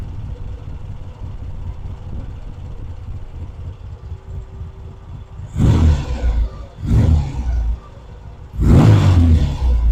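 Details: Vintage British motorcycle rebuilt from boxes, pilot circuit now working properly: quiet idle then three crisp throttle blips rising and falling cleanly without stumbling; normal revving.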